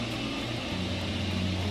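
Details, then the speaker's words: Heating unit suddenly making a heavy, rough droning hum with a low buzz, far louder than normal. This strongly points to a defect in the unit, so a heating engineer should be called urgently. Loud abnormal heater noise. "macht ihr Heizgerät plötzlich ganz laute und störende Geräusche wie etwa diese"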